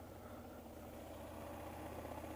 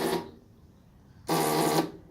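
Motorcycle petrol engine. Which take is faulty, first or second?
second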